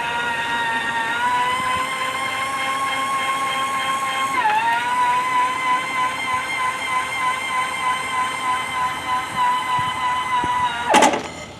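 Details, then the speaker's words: Harmar AL500 power chair vehicle lift, practically brand new, raising with car not running: steady even electric motor whine dipping briefly as load shifts, no grinding or knocking; normal lift motor noise. "and that noise you hear right there that's a that's a perfect noise that's the uh this is that lift right here is practically brand new that's your normal noise for your motor"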